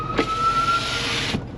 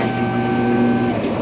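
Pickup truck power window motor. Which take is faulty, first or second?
second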